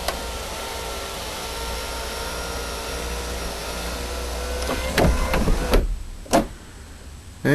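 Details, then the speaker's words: Saturn S-series sunroof after module replacement (rebuilt module), connectors and 4 drain tubes reconnected, key on: even motor whir for several seconds, then firm clunks as the glass seats; sunroof motor working normally again. "And it looks like I've got a working sunroof again."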